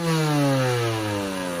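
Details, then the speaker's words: 2002 Honda CR80RB two-stroke after rebuild and carburetor jetting fix for heavy oil smoke: starts on one kick, revs drop off smoothly from a high crisp note with no stumbling or popping, hardly any smoke; runs clean and healthy. "Hardly any smoke on that. Even on the come down, it's perfect."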